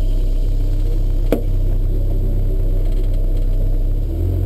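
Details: Honda S2000 driving over small bumps: steady road rumble, then a sharp hollow clunk from behind the driver's seat as the car drops over a bump. Source still being sought. Clunk over bumps.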